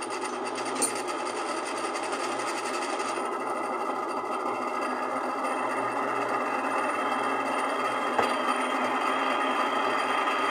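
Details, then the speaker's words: Older Miller spin dryer (centrifuge) motor after fitting a new 25 capacitor because the old one had failed; runs but with a harsh rattling buzz and no low hum beneath, noisy motor, noise not yet fixed. "agora coloca de volta ali o Cabinho aí ó meio barulhenta mas tá funcionando"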